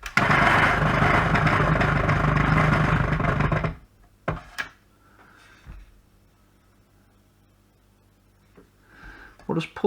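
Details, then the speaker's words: Faulty Kenwood Chef mixer after an attempted repair: motor roars up loud for about four seconds then cuts out and dies to near silence; starts up then slows and stalls, cause still unknown. "same sort of thing so it kind of starts up for a second but then sort of dies"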